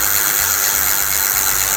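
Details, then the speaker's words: Simple bicycle rear freewheel with plain unsealed ball bearings: harsh gritty high-pitched rasp with fast uneven ticking and noticeable vibration, wheel wobbles; worn freewheel bearing, fault in freewheel or axle bearing. "seperti itu kurang lebih caranya dan ketika berbunyi itu lumayan Getaran terasa seperti itu kurang lebih terdengar tem-teman kita ulangi lagi ya"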